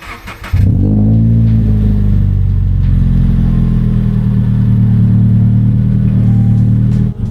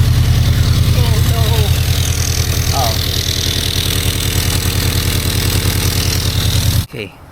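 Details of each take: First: Stock-header Subaru BRZ boxer, freezing morning, before unequal-length header install: smooth, even, steady drone with no lumpy boxer burble, not sounding like a Subaru; healthy stock exhaust note. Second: Subaru BRZ first start after installing unequal-length headers with stage 2 tune: idle with sharp, rapid puffing tick in step with firing; exhaust leak at header, fixed by tightening and repositioning the gasket.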